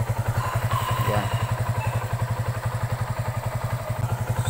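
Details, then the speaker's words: Kawasaki Aura Nexus single-cylinder after DIY fix of a loose clutch housing damper that used to rattle loudly: low putter at about four beats a second, steady, no clutch-side rattle; normal idle. "So okay na siya. No yung hindi ko pa nagawa ito ay napakaingay po. Naglagatak yung banda dito."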